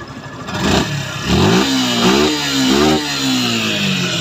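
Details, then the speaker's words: Suzuki Gixxer SF FI ABS motorcycle after repair of high-RPM problem, checked with diagnostic scanner: several clean throttle blips, pitch rising and falling smoothly back to steady idle; RPM now normal. "তো এই তো দেখেন, দেখতেই পারতেছেন RPM ঠিক আছে। এবার sound শোনেন।"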